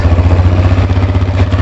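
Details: Baja WD250U or Kawasaki Bayou 220 ATV after bad-gas carburetor cleaning, in neutral on jumper cables: quick, even putter at idle with steady pulses and no misses; engine idling smoothly.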